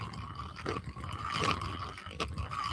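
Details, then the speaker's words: Offshore Angler Saltstriker 8000 shore casting spinning reel, turned by hand: rough, uneven scraping with a faint squeak, drag works but clicker gone; something inside is rubbing. "Something's rubbing in there."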